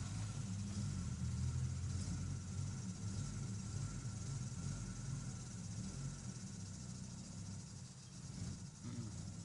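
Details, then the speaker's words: Engine with existing faults (stalling, loss of traction, heavy smoke, coolant steadily vanishing; first cylinder suspected) idles while warming up, revs below normal; low uneven rumble sagging and surging, trying to stall; rough idle, cause unconfirmed. "Come on. Everything is trying to stall. No, no, he doesn't want to. He doesn't want to do anything at all."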